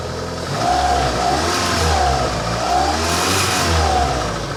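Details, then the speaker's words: 1985 Honda Accord, 62K miles, long parked, on about 1.5–2 gallons of fresh gas: rough idle smooths as soon as the throttle is tapped; revs climb and fall cleanly, with a slight possible heat-shield rattle. "as soon as you tap on the throttle watch this watch what happens smooth [Music] listen to that"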